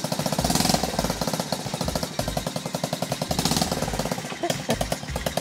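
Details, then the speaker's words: Old Honda Monkey Z50A 50cc (blue bike), which started right away: sharp, uneven popping at a lumpy idle with a raspy edge; owner suspects a hole in the header cover causing the odd sound; irregular popping idle. "Kalau suaranya agak aneh karena itu kayaknya tutup headernya itu kayaknya ada yang bolong, makanya ada suara kayak begitu."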